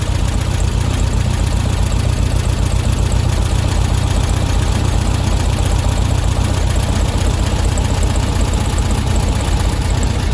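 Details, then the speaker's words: Air-cooled flat-four in a VW Beetle during a tune-up, warmed up: idle screw loosened and engine speeds up with a steady, even chuffing to about 1000 rpm; idle speed too high, wasting fuel, owner likes it slightly high for cooling. "i don't know how well you can hear that but you can hear that the engine's starting to speed up a bit you can see it's gone up there as well so that's obviously too fast now that's about a thousand so it doesn't need to be that high"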